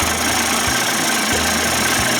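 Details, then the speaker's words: Johnson Tracker 25 hp outboard converted to 30-35 hp with bigger carb and 72D jet: even, steady two-stroke idle with a regular low pulse, no misses or knocks; sounds pretty good, normal idle. "sounds pretty good to me"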